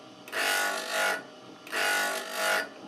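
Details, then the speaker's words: KEF Slibette 8 drill grinder: drill bit pressed lightly against the stone and swept across it, ground until nearly no sparks remain, giving two even hissing grinding passes that swell and fade over about a second with the wheel running steady; normal sharpening. "And I continue till there's nearly no sparks left. Then I have a good finish."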